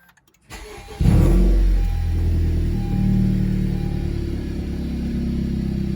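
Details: Honda Civic Type R FK8 turbo engine after intake modification (filter with dryer-sheet fail-safe, sensor reconnected): quick crank catches at once, flares, settles to steady even idle, no stumbles; starts cleanly, no check engine light.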